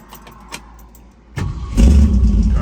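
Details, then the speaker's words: 1965 Ford Mustang Fastback with 289 V8 A-code, 4-speed and upgraded sway bar: a short crank, then it catches at once and settles into a strong, even idle. Engine is nice and quiet. Normal cold start. "starts right up. The rally pack does work. Code 4M6. Engine's nice and quiet."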